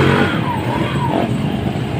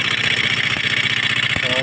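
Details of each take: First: Motorstar Star-X 125 / Rusi 125 single-cylinder motorcycle after timing gear replacement and pin repair, formerly very noisy: runs and revs smoothly with no clatter or rattle over the exhaust beat; engine sounds healthy. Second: Motorstar Star-X 125 / Rusi 125 pushrod single-cylinder, still noisy after both tappets were adjusted: fast, even ticking clatter over a rough idle, not coming from the top end; the timing gear is to be checked next.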